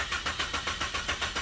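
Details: Chevrolet Optra cranks without starting: starter turns over steadily but engine never catches; security light shows red with ignition on, immobilizer (immo box) fault blocks start, persisted after a prior garage visit.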